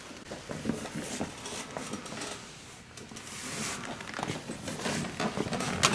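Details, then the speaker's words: Wheelchair rolling: irregular sharp clicks and ticks in louder bursts, an annoying clicking that sounds like it's breaking, likely from worn front caster wheels or bearings, which were replaced. "so this wheelchair started making a an annoying clicking sound yeah let's see if we can get that It's upsetting to my mother who's had a stroke and effects does not like the sound this thing makes when it sounds like it's breaking oh yeah"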